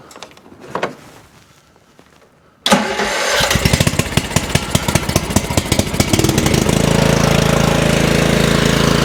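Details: Craftsman 30-inch riding mower that would not start, after cleaning a carburetor gummed with green slime from sitting, choke on: after a short crank it catches and settles into a steady single-cylinder putter without stumbling or dying.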